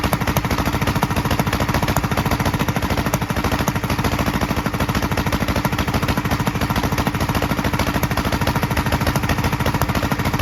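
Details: 1943 Gravely Model L single-cylinder on rebuilt magneto and borrowed 1955 L carburetor with its settings; uneven clattery chug about three beats/s, pops from carburetor and exhaust; valve lapping and lash check planned. Rough running with popping.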